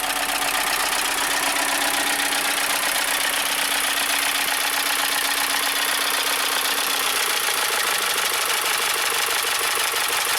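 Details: 2012 VW Tiguan GDI turbo that stalled with suspected low oil pressure, still 2 quarts low after oil added: rapid sharp knocking over idle, growing harsher and getting worse; massive rod knock, engine judged finished.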